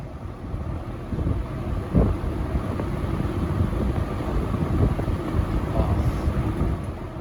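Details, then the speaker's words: Restored, repainted early-1970s Eskimo 20124 fan running on low speed: soft, steady low whoosh from the blades, no ticking, rubbing or wobble; quiet with a good breeze, running smoothly and normally. "slow low is very nice it's quiet good breeze i really like low on this fan"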